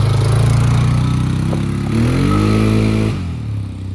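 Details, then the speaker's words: 2002 Polaris Sportsman 500 H.O. after replacing worn primary clutch (belt walking) with Mother Clutcher primary plus spacing bushing; revs up smoothly, drive takes up cleanly, no slipping, chatter or belt squeal; normal CVT engagement. "A little bit of spacing, a new clutch, took some noise away from the clutch. That thing engages and grabs real nice, really nice power transfer."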